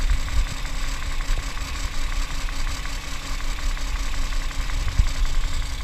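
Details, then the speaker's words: Toyota 1G-FE (Altezza / Lexus IS200/IS300), hot idle: faint, uneven light knock over a low rumble. It is absent cold and appears only hot once the thermostat opens, heard between head and block at the front. VVT clutch suspected; source unknown. "Как его знает, на холодную вообще нет звука, только на горячую, когда открывается термостат. Звук идет между головкой и блоком."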